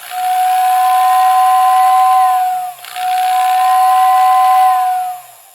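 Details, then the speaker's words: Lionel OO whistling tender, poor whistle after equalizing brush spring tension: two-tone whistle thin and uneven, one tone much weaker, sometimes cutting in and out; whistle motor spinning backwards from reversed brush wires. "so that's where we are right now it still doesn't sound great uh knowing what the problem is I would describe it as it doesn't have as much volume or intensity I can here one of the tones but the other tone is decreased in volume"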